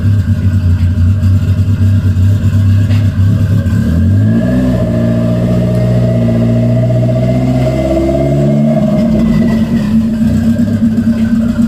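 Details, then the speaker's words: Engine revving cleanly after throttle cable adjustment, part of vacuum leak and idle repair; starts, idles, then rises smoothly and falls back under throttle blips with no stumbling or misfire, sounds good. "turns on I can give it some revs and and it sounds good so fingers crossed let's check it out"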